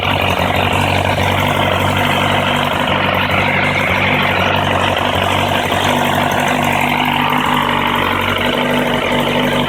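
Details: Kawasaki ZRX1100 at idle: busy idle with uneven fast patter about four beats a second; strange engine sound, cause unknown.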